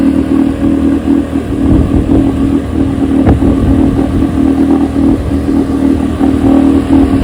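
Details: 1972 Evinrude 9.5 HP two-stroke outboard carburetor, rebuilt and chem-dip cleaned, test run on test motor: steady buzzing two-stroke drone at even pitch with light clatter throughout; carburetor tested fine, running clean.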